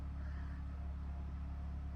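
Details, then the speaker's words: Generator heard from far up at a shelter, down in the valley: steady, abnormally loud low hum with no surging; owner suspects the governor spring setting, revving too high. "That just sounds very loud to me. Like abnormally loud. I feel like maybe I need to stretch that spring a little bit. You know, that just feel sounds like it's revving a little high."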